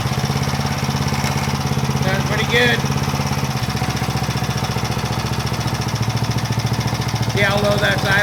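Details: Power Trim edger's small single-cylinder engine, which had been hunting and would not hold a steady speed, now holds an even beat without hunting after a new Pulsa Jet carb kit; the carburetor is sorted and it runs right.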